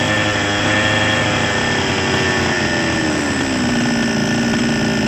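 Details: Small Chinese two-stroke chainsaw engine, hard to start and needing priming, runs steadily with a high buzzing note easing slightly as it settles after repair; cause was a ruptured seal/gasket, replaced, running normally again.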